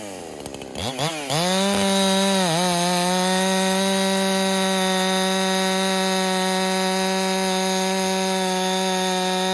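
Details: Holtzfforma 372 clone chainsaw with an impulse-line modification, after a pressure test: it snaps up to a high, steady full-throttle scream and holds evenly, with no surging or sagging that would suggest lean running. It runs normally.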